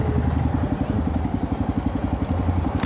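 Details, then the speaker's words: Royal Enfield Himalayan 450 after days of rain, APS failure and misfire warnings: uneven low thumping with surging pulses while accelerating in third gear, engine chugging and lurching instead of pulling smoothly. "Something's not right. Something's not right. I have to stop. >> What's wrong? >> I don't know. It's like chugging. >> What's chugging? >> My my bike. I was in third gear, but it was like"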